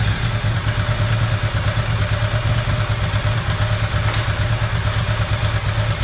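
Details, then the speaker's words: Ducati ST4S after throttle body balance and air-blade adjustment, fast idle lever off: steady, even lumpy V-twin beat at about 1100 rpm, no stumbles or rattles, before idle mixture check with gas analyzer. Normal idle. "like that's the torso that's idling at about 1100 revs i might go a little bit higher"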